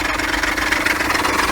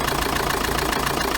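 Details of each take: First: Diesel idle with a quick, uneven knocking clatter, steady with the engine, from a worn ribbed pulley and idler pulley, shown before their replacement, after which the noise stopped. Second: Chevrolet Tracker diesel at idle, hood open, after repair: noise was in the ribbed belt pulley and idler pulley, both replaced; even clatter, no squeal or knocking; noise gone, normal idle.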